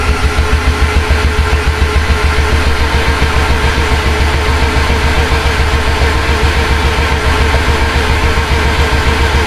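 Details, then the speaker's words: Mazda RX-8, freshly rebuilt 13B rotary, unstarted over 5 years, throttle floored: fast, even starter cranking without firing; no oil pressure yet, owner suspects engine spun too slowly to build it. Normal cranking, no start. "Alright, we don't have any oil pressure yet, but I'm just suspecting that the starter is spinning over the engine too slow to actually build oil pressure."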